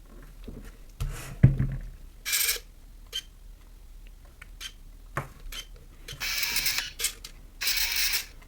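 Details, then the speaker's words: Nikon F801 / N8008 film camera (1988) autofocus motor: short bursts of loud buzzing whirr in spurts as focus hunts; single-point AF, initially suspected age-related fault but noisy operation is normal for this camera. "Вот такой звук. Я поначалу думал, что такой звук это что-то там, может быть, не знаю, от возраста уже что-то испортилось. Но потом, пошерстив блогосферу, понял, что это все-таки норма."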